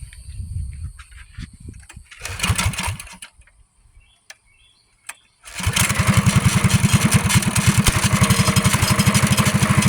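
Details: Axis 200 mini bike, single-cylinder, fitted with a thumb throttle: after some handling noise it catches and settles into a steady, even, rapid putter with no misses or knocks; runs healthy.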